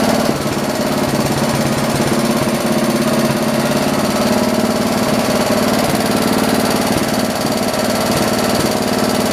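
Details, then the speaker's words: John Deere 112 round fender K181 single-cylinder after governor and throttle linkage adjustment; strong, steady beat with even firing and no misses; running well, idle slightly high and needs lowering. "so cool i think we need to lower the idle a little bit"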